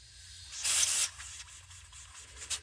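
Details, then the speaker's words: Mk3 Toyota Supra thermo vacuum valve, heated and blown into from the top: short breathy rush of air passes through, confirming it opens when hot; it does not seal perfectly when cold either. "this is now open, so there's air flowing out of it when I blow in the top there."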